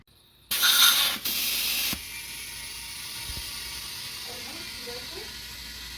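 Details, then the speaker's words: Tubeless car tire being remounted after replacing a leaking rim air valve; loud rush of air then two sharp snaps as the bead jumps onto the rim after a failed first try, tire seated. "When you hear that sound, that means the tire is set. It's good."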